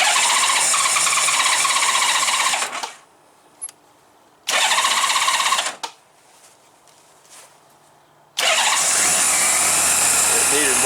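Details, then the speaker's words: Honda GL1500 Goldwing after carburetor clean and accelerator pump repair, cold start at about 32°F with some choke; two roughly three-second cranking bursts fail, third fires and runs; hard cold start needing more choke. "we'll try it without the the choke it doesn't like it without the choke it's too cold"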